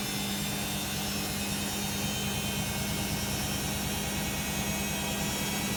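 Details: Beko WM5100W 5kg street-found washing machine, plumbed in, rinse/spin test with rags: a loud steady roar with a constant mid-pitched drone through the whole high-speed spin; excessively noisy spin, cause not pinned down.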